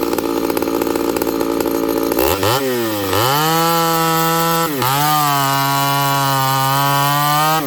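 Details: Ported Homelite 922 chainsaw after clutch and fuel line repair and cooler heat-range plug, cutting very hard wood: crisp two-stroke scream sagging briefly into the cut, then holding strong and steady under load; healthy cutting.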